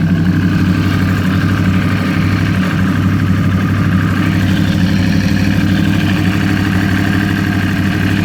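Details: 2012 Yamaha R1 motorcycle engine idling, with a light, fast ticking over the low rumble.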